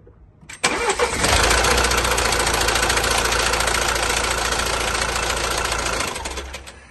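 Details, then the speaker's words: Mercedes C200d with the 1.6 four-cylinder diesel (626 engine), just started and idling: a loud, busy metallic rattle, described as horrific, rides over the diesel clatter from a very noisy timing chain, before replacement. "as you can hear that rattle is horrific so we're going to go ahead dismantle it take off the air filter box cover try to get access to the timing chain cover and then take it from there"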